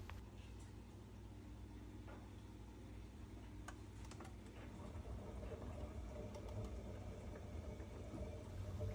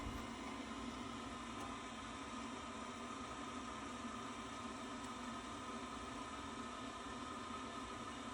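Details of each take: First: Worcester Bosch 30i ErP boiler with no heating or hot water and fault code EA227, running after a reset: uneven gurgling and sloshing like a washing machine. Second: Worcester Bosch 30i ErP boiler after fault EA227 and washing-machine-like noise, condensate trap checked and hoses refitted: steady even hum and fan rush, no gurgling, running normally again.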